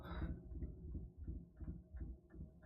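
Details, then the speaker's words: Central heating system, boiler on S4 with temperature rising too quickly: low uneven rumbling throb from the circulating pump, pulsing about every third of a second; failing pump, to be swapped. "right let's turn the heating off now yeah that's not that doesn't sound good actually"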